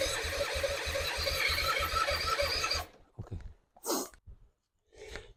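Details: 2005 Suzuki Intruder 250 LC bought as a non-runner, spark confirmed, possible petrol smell, compression not yet tested: rapid even starter chugging about three per second for under three seconds, no firing; cranks but won't start, cause unconfirmed.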